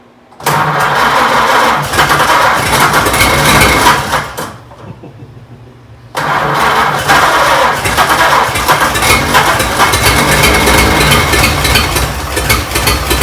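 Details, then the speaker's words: 1926 Oakland being started after 75 years, running on a substitute coil: it catches, runs roughly, dies, then restarts with an uneven, lumpy, stumbling beat. "It's just being ornery. Hold on a sec. That's the longest it's run, sort of. So how many cylinders do you think are actually? I would guess 4."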